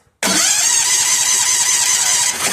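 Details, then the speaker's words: Bad Boy riding mower that only clicked at first: the starter now cranks with a steady, even whir but never catches or fires. No spark even after kill-wire checks, so the ignition coil is judged bad and replaced. "All right, I see nothing. All right, let's let's change the coil. I think the coil's bad."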